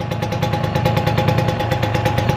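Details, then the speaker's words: Kawasaki Ninja 150 two-stroke idling on premixed oil; a sharp puffing tick about ten times a second from a leaking exhaust. "akhir-akhir ini knalpot bocor ya geng kita fokus dengerin suara mesinnya"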